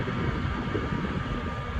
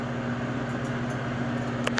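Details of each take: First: Comfort Zone CZ230ER 7500 W garage heater after shut-off: soft steady airy whoosh with a faint even tone and no knocks, the fan running about 90 seconds to cool the heating element; normal run-on. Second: Comfort Zone 7500 W garage heater, running: steady fan hum with a few sharp, irregular ticks seconds apart. The cause of the ticking is unknown to the owner.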